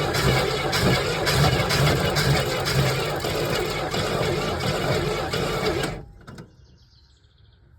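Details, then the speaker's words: 1981 Camaro with a 3.8 L V6 that has sat since 1989, first cranking after connecting the battery: uneven cranking with a weak firing pulse about twice a second, then it stops; it fires on only one or maybe two cylinders. "Sounds like we only had one cylinder there. Only one happy cylinder. So um it did try on one maybe two cylinders it tried to fire off which is I guess something."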